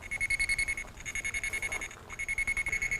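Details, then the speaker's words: Armada Pro300 locator receiver sweeping across a buried sprinkler wire driven by the 2 kHz transmitter: fast high beeps, three or four a second, drop out briefly twice. That null marks the cable directly underneath. "When you're over the cable, you can hear that null signal."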